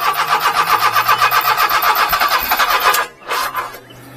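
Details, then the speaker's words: Mini-truck that lost power on and off then stalled, with a quarter tank of fuel: starter churns about four beats a second with sharp pops, no catch, then a backfire-like kickback with smoke; timing belt suspected, unconfirmed. "you think the timing BT went wa it's popping like that well it was running good and then it just like acted like it"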